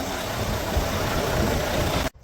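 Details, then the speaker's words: Rebuilt, previously wrecked Volvo VNL truck, first start after rebuild with the automatic transmission controller hooked up: a steady, even diesel rumble with no knocks or misses for two seconds, then it cuts off abruptly. Owner says it doesn't feel fantastic but it's running. Normal idle. "Well, it's running. Doesn't feel fantastic, but it's running. It's going, let's go."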